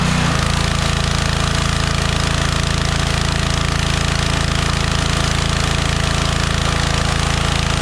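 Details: DeWalt 3400 psi pressure washer that kept shutting off after about 5 seconds, now running with the flow sensor bypassed; loud, steady engine chug at about 200 beats a minute, even, no surging or dying: running normally.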